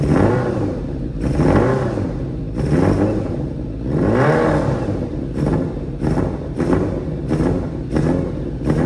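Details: Restored Yamaha Fazer 600 motorcycle, first start in about 2.5–3 years after rebuilding a chopped frame and missing parts: the engine catches and revs cleanly, blips rising and falling smoothly, then settles to an even, steady idle beat; normal running.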